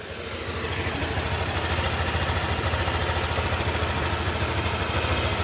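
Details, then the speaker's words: Honda Click 125 scooter just started after bottom-end overhaul with new crankshaft, for knocking caused by neglected oil: steady even idle with soft low putter, no knocks or ticks; now quiet and healthy. "Sige, ayan, ma-under na siya. Ayan, tahimik na."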